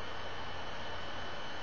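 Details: Computer fan heard while recording on a Logitech QuickCam Pro 9000 webcam as the computer freezes: a constant, loud rushing whoosh with no change in pitch. The cooling fan is running flat out; the cause is unclear.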